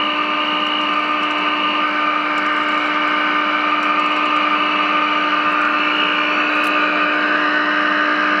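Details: GE radio converted into an AM transmitter, during IF alignment with a signal generator: a steady, pure low tone over constant hiss, no drift or crackle, as the first IF is adjusted.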